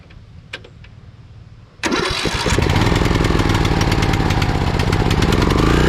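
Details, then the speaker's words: Craftsman riding mower engine after carburetor replacement, old carb completely clogged and engine previously surging and misfiring: catches after a few cranks, settles into steady even beat with no hunting or surging; normal running. "starts so okay well it looks like it was the carburetor all along"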